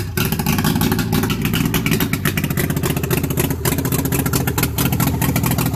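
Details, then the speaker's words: Vintage two-stroke car (DKW suspected) first start after long storage, carburettor being flushed of rotten fuel: engine catches and revs unevenly with loose clatter, surging rather than settling; rough running on stale fuel. "Okay, so we're flushing out our carburetor again. We're still getting some rotten fuel."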